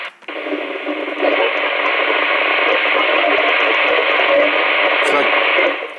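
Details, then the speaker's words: Albrecht AE6491 CB radio in AM on channel 29, with the NRC noise reduction on and scanning an empty channel through an external speaker: a steady hissy buzzing, like digital breakthrough interference, with no voice present. Source unknown. "It's like a digital breakthrough noise, if you can hear. I don't know if you can hear it, but it's like digital breakthrough."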